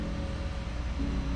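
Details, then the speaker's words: Kawasaki ZX-10R drag bike stored three years, rebuilt and cleaned fuel pump plugged into the bike and tested before reinstalling in the tank: steady low electric hum, even tone, no stutter or grinding; normal priming, fix worked. "Actually, I'll probably plug it in the bike first and test it before I even put it in the tank. That way I know it works."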